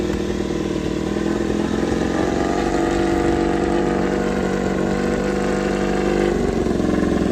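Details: Honda RC213V-S, freshly assembled with oil primed, first start: crisp, steady burbling idle with a faint high whirr, no knocks; running cleanly.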